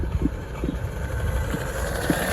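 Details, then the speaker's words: Nissan GTR R34 RC car, cruising on street after return to running: sharp irregular clicks, about five in under three seconds, over motor whir while driving; differential clicking, something fluttering in it. "so got some clicking issues in the differential but that's gonna have to be it for today guys"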